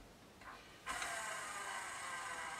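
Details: Garrard RC121 turntable motor, original, hand-spun: turns freely but gives a dry, raspy hiss with no smooth oiled sound, so the bearings are dry and need lubrication.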